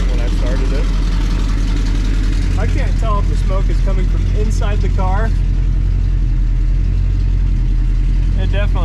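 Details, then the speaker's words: 1966 Pontiac 2+2 with 421 V8, rough, lumpy idle with short chirps coming and going. Owner blames rusty pulleys and a belt that could be tighter, and suspects the chirp is from the front accessories or the belt hitting the power steering. Unconfirmed. "got some belt squeed but those po are Rusty as all get up and the belt could be a little bit tighter"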